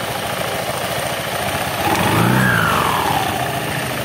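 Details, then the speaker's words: Honda Beat injection scooter, after shimming a worn thin bore that caused an otok-otok knocking, mic held close: engine blips up and settles smoothly with no knocking; noise gone. "aman suara odok-odok hilang"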